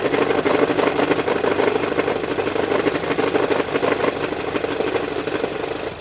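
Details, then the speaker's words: 2016 Ford Edge at idle: a mid-pitched, uneven rattling drone appears when the AC is switched on and mostly fades with the AC off or when revved. The owner suspects the air conditioner. "so what I did is I started it AC off turn the AC on where you can really hear the noise turn the AC back off it goes away for the most part"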